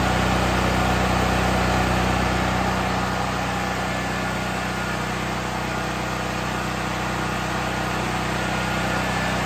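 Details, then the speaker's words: New Firman 7500 W tri-fuel generator running on propane (LP) after first start with choke: even, steady engine beat about 200 pulses a minute, no misses or rattles; normal running. "we're going to change it to lp we've got the choke in the start position so now we're going to go ahead and crank it for three seconds"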